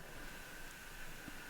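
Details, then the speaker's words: Diesel pickup plugged into engine block heater, transmission at 41 degrees: faint steady high hiss and hum under garage quiet means the block heater is powered and heating; silence would mean it's not working, e.g. blown fuse. "When you do plug in your truck to the engine block heater, you can literally hear it working. So if you don't hear a sound like right now, you know it's not working."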